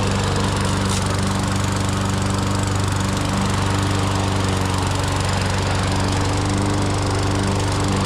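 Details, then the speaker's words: Toro GTS 140cc mower that would not start after sitting over the winter, now after a carburetor clean-out: a fast, steady, even run with no stumbles or surging, sounding healthy. "Let's see if that carb clean out actually fixed it. All right, let's see. Guaranteed to start, huh? There we go."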